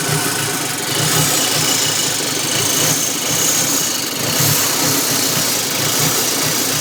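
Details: 2006 Audi B7 A4 2.0T with a rough idle: uneven, with a loose irregular stumble and a hissy top end. Caused by a faulty intake manifold gasket creating a huge vacuum leak.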